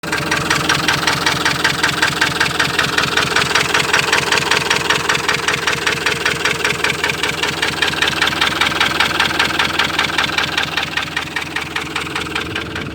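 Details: Ford Transit 2.4 diesel that knocks, misfires and stalls: idle with a hard regular knock about two and a half per second and an uneven shaking beat; cause unclear.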